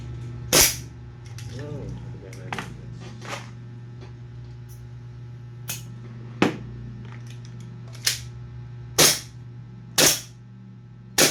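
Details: Pit Viper gas pistol test-firing with BBs after reassembly with a new O-ring fixing a gas leak and a repaired broken nozzle; outer barrel noise not yet fixed. Sharp, crisp, clean cracks at irregular intervals in a quiet room; normal firing.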